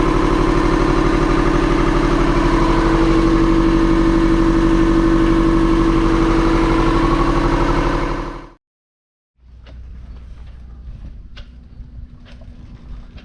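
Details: Sailboat inboard diesel (self-built 31.8ft junk schooner), after pre-start checks: oil fine, sail drive seals recently redone, water strainer clean, coolant good; steady even idle clatter about three beats a second, then cuts off cleanly; healthy.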